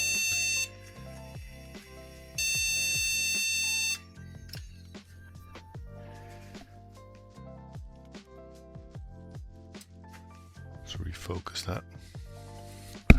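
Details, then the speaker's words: Untested retro PC, possibly a Pentium III 500, at first power-on: repeated long shrill PC-speaker beeps; memory fault beep code, resolved by moving the RAM to another slot. "Wow. Stop doing that. Let's try another RAM slot just in case."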